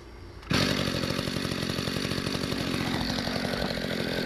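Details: 1994 Mantis cultivator two-stroke tiller, restarted: catches at once, settles into steady, even buzz without hunting or stumbling; clean idle.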